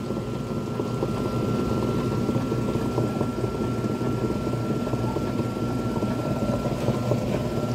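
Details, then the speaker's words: Consul 7.5 kg washing machine, laid down, in spin: loud rough rumbling scrape with uneven churn as the drum spins, unbearably loud; something rubbing, cause not yet found. "o jeito foi tirada da tomada porque ninguém aguenta esse barulho aqui dentro de casa é muito forte muito barulho né"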